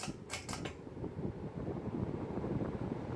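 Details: New Hunter Original ceiling fan, just installed, on high: a few clicks at the speed change, then smooth, even rush of air with no ticking or wobble; powerful and healthy.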